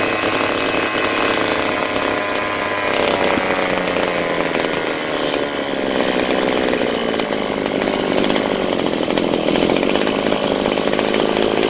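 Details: Butane gas brush cutter, two-stroke, after carburettor rebuild (diaphragm, valve, throttle valve cleaned) and new spark plug: steady high buzzing rev that holds under load, running cleanly with no stumble or misfire.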